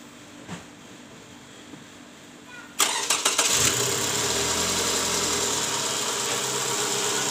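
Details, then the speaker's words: Toyota Camry 2JZ engine after replacing the balancer shaft and worn balancer bearings (likely worn from bolts not torqued to spec), complaint was rough engine sound: starter catches after a quiet pause, then an even, steady idle with no knock or rattle, much smoother than before. "Jadi sekarang suara mesinnya jauh lebih halus ya dibanding awal sebelum kita ganti balancer shaft dan juga metal ya"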